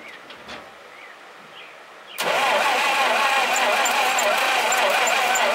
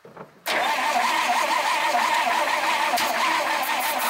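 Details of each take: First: Dodge 1951 dually's small flathead six, first start in 32 years on a charged battery; it catches at once and settles into a steady, even idle with no misses or knocks, building oil pressure, sounding healthy despite an oil leak. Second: 1951 Dodge flathead six, not started in 32 years, with new plugs, plug wires and ignition coil: starter whines and turns it over steadily about four seconds without firing; owner suspects sticking points; not confirmed.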